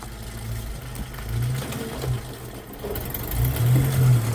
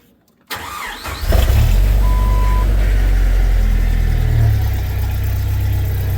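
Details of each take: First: Jeep TJ: rough idle with a loose, uneven metallic rattle over the low engine note; timing chain very loose and sloppy, rattling. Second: Jeep TJ after timing work and bolt install to cure rattles: quick crank, catches cleanly, settles into even low idle with no ticking or chain rattle; quiet and healthy.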